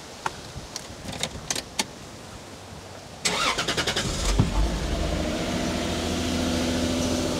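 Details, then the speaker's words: 1995 Lexus SC300 with about 230,000 miles, previously running then dying; after a wiring repair it cranks briefly, catches quickly and settles into a smooth, steady idle, running fine for 15–20 minutes, idle slightly fast (idle air control motor suspected). "all right guys so this thing has been running for probably a good 15-20 minutes absolutely no issue seems to actually run pretty good it's quiet has a good idle it's a little fast"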